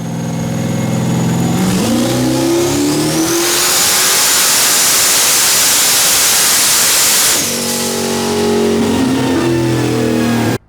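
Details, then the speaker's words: Firebird with 6.0 V8 and S484 turbo on pump fuel plus one methanol nozzle, TH400 and 9-inch rear, on the dyno after bad spark plugs were replaced: revs climb into a clean, hard, even full-throttle pull, no misfire, clearing 750whp. Healthy pull. "full speed I could hear that nice Fireball like a subwoofer in the car we were clearing 750 pretty easily"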